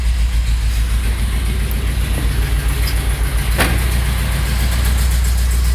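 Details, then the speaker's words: 1973 Chevy C60 fuel truck, 366 gas V8 with Holley EFI, cold weather, block heater used, after fouled plugs and leaning choke setting: deep, even idle with no misses; running smoothly. "You can hear it's not really missing anymore, and yeah, it just sounds a lot smoother, a lot happier."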